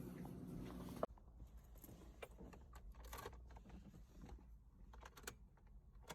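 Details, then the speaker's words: Nissan 350Z (VQ engine) after a faulty mass airflow sensor caused stalling and repeated restart attempts with throttle: key turn gives one sharp click then silence, no cranking; starter motor burned out; old battery also replaced. "the car wouldn't start anymore it would just click once and i'll restart again and i'll just click once"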